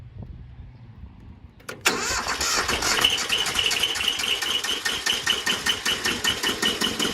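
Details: Bolens G174 diesel tractor, worn out with unknown hours, cold start attempt at about 90°F: long steady cranking about 2.5 beats per second that never catches; low compression (325 and 395 psi) after glow plugs, filter, fuel, starter and battery were checked.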